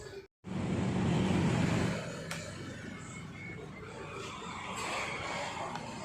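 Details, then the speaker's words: Hero Maestro Edge BS6 scooter with hard starting and stalling on throttle, checked after a fuel pressure test showing about 50 psi: one self-start press catches at once and settles into an even, steady idle without dying. "இப்ப ஒரே அடியில வந்து self வந்து start ஆயிடுச்சு"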